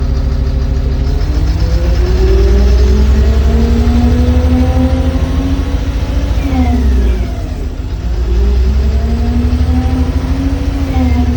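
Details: Sany SW995K1 diesel: revs climb and fall sluggishly with a slightly uneven beat; low power caused by a bad injector.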